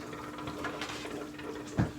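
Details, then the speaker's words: FX-4/FX-6 aquarium canister filter being primed after cleaning, with hoses reconnected and valves opened before plugging in: soft watery gurgling and a bubbling gulp as trapped air escapes; normal priming. "and you can hear it gurgling that's the airspace inside going out"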